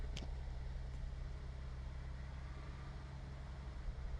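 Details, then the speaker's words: 2011 Chevy Traverse that would not crank, with a flashing dim check engine light, now idling after the PCM relay was jumped: a quiet, steady low rumble with no knocks or misses. The cause is a broken wire from the computer to the fuse box. "oh our lights steady and the car starts and runs so yeah we just clearly have a broken wire from the computer till the fuse box"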